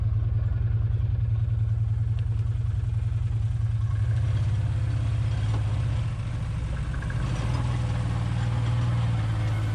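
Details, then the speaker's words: ATV on a multi-day trail ride: steady low engine drone with a loose, uneven rattle underneath from a badly worn driveline U-joint, later replaced. "can probably hear that rattling in the background turns out that was a U-joint that I had that was in bad shape and luckily it made me all the way across the gas Bay but I had it replaced when I got back home"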